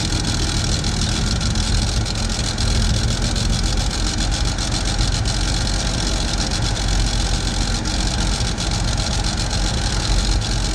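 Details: Chevy II Nova with a 250 six from a '67 and swapped-in Rochester BV1 one-barrel carburetor, exhaust unrepaired: low steady idle with deep even rumble, no stumbling or loading up; slightly better than the old carb; normal idle.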